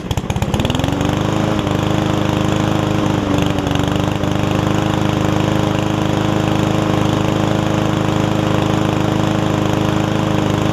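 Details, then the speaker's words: Yard Man self-propelled push mower with Powermore engine, long-sat, after carb clean and self-propel freed up: starts, picks up quickly, holds steady even drone, no hunting or sputter; about 90%, old gas likely still washing out, owner may add Seafoam. "So that's pretty much it there. Probably about 90%. I might throw a little seafoam in it and run it for a few minutes just to see if it will get a little bit better."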